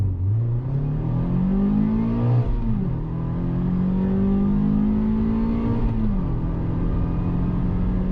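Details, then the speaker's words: Mazda MX-5 Roadster before its transmission failure: engine revs smoothly twice and settles, even tone, no knock or whine. Normal revving. "this is my Mazda MX5 Roadster and this is how it sounds like"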